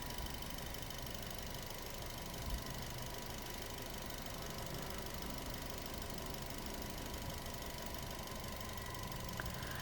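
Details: Nissan Almera petrol engine idling steadily with an even low rumble, no stalling or hunting, after cleaning carbon-fouled spark plugs and oxygen sensor and throttle body relearn by scanner; previously engine kept dying, now normal idle.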